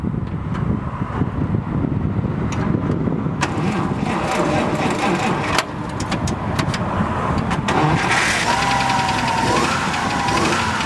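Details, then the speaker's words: 1950 Dodge 5-window Pilot House dually pickup, original straight-six with single downdraft carb: cranks and catches, then settles into a steady, even idle with no knocks or misses; healthy engine. "Very nice. Great motor, very reliable. Very cool."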